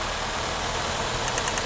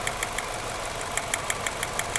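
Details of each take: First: 2006 Nissan Altima after replacing the bad ignition coil pack that caused a misfire: steady, even idle with no stumble or miss, light crisp ticking near the end; normal idle. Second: 2006 Nissan Altima at idle: sharp, irregular ticks and snaps over an uneven beat; the scanner shows a number three cylinder misfire, and the test light shows no arc on that cylinder's coil pack.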